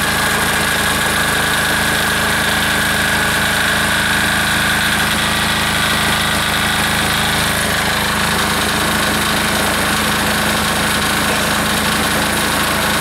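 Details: Air-cooled diesel engine just reassembled, throttled down to idle after earlier fuel starvation, ticking over evenly with no misses or hunting; owner says it sounds pretty good, normal idle.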